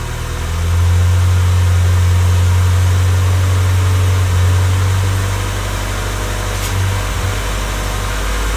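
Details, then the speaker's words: Honda Civic freshly rebuilt D16Y8 engine, first start-up, idling before any revs: steady, even low hum with no knocks, ticks or misses throughout; everything sounds nice and smooth. Normal idle. "So it's running. Everything sounds nice and smooth right now."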